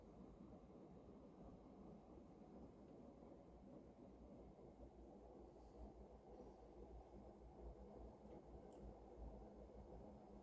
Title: Mitsubishi Heavy industries air con making noise in cooling mode.